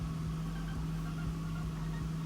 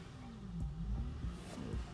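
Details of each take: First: Smooth, steady idle on a 2001 Acura TL with no misfire after cleaning the idle air control valve, which fixed the P0505 check-engine code. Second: 2001 Acura TL, check engine light, idling in park, likely when cold: RPM hunting up and down without throttle, stalling; faulty idle air control valve (P0505), removed for cleaning.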